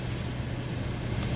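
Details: 2002 Toyota Sequoia, semi-cold, idling: low, lumpy, uneven rumble of an idle misfire across cylinders 1, 2, 4, 8, only cylinder 4 at 2000 rpm; injectors, coils and timing belt already replaced, flashing check-engine light, cause not found.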